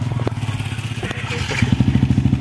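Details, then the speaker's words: 2014 Yamaha Vixion test after injector cleaning, previously stumbling at high RPM: firm, even exhaust thumps about ten a second picking up cleanly with throttle, no stumble or misfire; running normally now. "kita tes motornya ya Nah itu normal ya bagus Boys motornya"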